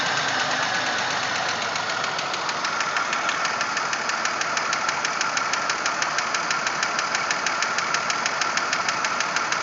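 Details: 1997 Pontiac Grand Prix GTP at idle: fast steady metallic knocking about three per second; internal engine knock, source not pinned.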